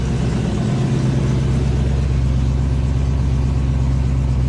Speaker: check engine light on but that's pretty amazing guys rev it up a little bit so you can hear it not too bad at all